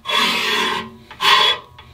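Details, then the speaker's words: Spring-loaded ridge reamer turned by hand with a ratchet, cutting the ridge at the top of an engine cylinder bore flush with the deck: two rough scraping strokes. "i want to see the blade just come up above the deck if i keep going out the blade is just going to come out and start turning and just start really cutting the bore out on the top where you don't need to cut that bore out on the top"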